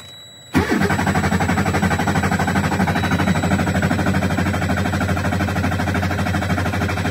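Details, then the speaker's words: 2009 Freightliner Cascadia diesel at 1,061,891 miles, cranking during a compression test: starter kicks in with a steady, even chug about three beats a second; normal cranking. "Let's just do a quick little compression test to show you guys what the numbers are."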